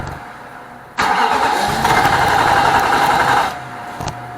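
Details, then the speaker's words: 2006 Nissan Armada 5.6 truck just after an engine swap: starter churns steadily for about two and a half seconds with no catch or firing; cranks but won't start, fuel delivery being checked, cause unconfirmed. "something's not right. So I'm gonna have to do some digging and see what the problem could be."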